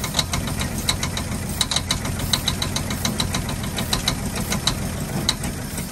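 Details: 1948 Ford F-5 ex-ice truck, first run after about 45 years sitting: sharp uneven ticks and pops, about eighty a minute, over a rough idle. Owner believes the number six lifter catches and snaps back, not a rod knock.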